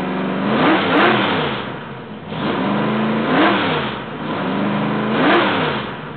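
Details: Rebuilt 1968 L88 427 Chevy big-block V8, hydraulic roller cam, 9.6:1 aluminum heads, timing 36°, start-up: loping idle then three smooth throttle blips about two seconds apart rising and falling cleanly; sounds like an old L88, normal idle and revs.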